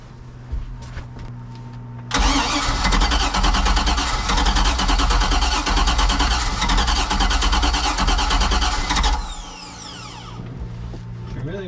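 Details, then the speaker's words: Boat with carbureted engine bought cheap, fuel of unknown quality: starter cranks hard about seven seconds with uneven firing pulses but won't start; fast throttle pumping helps, so owner suspects fuel starvation, possibly a stuck carburetor float. "all right if I pump if I pump really really fast it kind of wants to go a little more so I'm thinking that it is not getting enough fuel"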